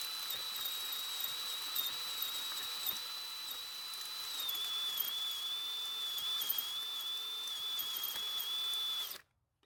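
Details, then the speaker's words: Troy-Bilt 4-cycle trimmer with JumpStart drill attachment (ratcheting freewheel adapter): high steady drill whine, engine not turning over; adapter freewheeling without engaging, fuel quality unchecked. "So that did not go according to plan at all. In fact, nothing happened. Now, I don't use the drill attachment all that much, so I'm not really certain if it's supposed to sound like that."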